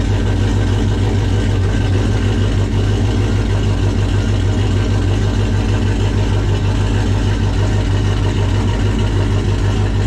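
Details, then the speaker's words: 1995 Dodge 5.9 Magnum V8 in 1951 Dodge dually with new Comp Cams Xtreme Energy 20-746-9 cam, 60lb injectors, GT45 turbo: deep, steady idle around 850 with mild lopey chop instead of stock smoothness, firing evenly on all eight. "it sounds so good like it finally doesn't have that stock like real smooth idle it's got a little bit of chop to it"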